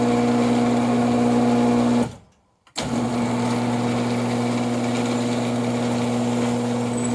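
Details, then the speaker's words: Older Genie IntelliCode screw drive garage door opener after applying one tube of Genie lubricant along the track: steady, even motor hum with no squeal or chatter, much quieter than before lubrication. "Screwdriver will make noise like it is now, but obviously you can tell that that is a lot quieter than what it was the first time."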